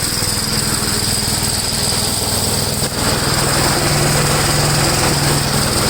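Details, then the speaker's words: 1962 Gravely L/LI walk-behind tractor, single-cylinder, mowing a field after valve adjustment and carburetor tuning: steady, even chugging firing rate holding speed without stumbling under load; runs acceptably. "okay it doesn't seem to be too bad"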